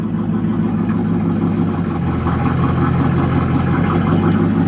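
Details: 1969 Ford LTD V8 after sitting for years in storage, new battery, first start: settles into a steady, even, low-rumbling idle with no knocks or misses; runs healthy.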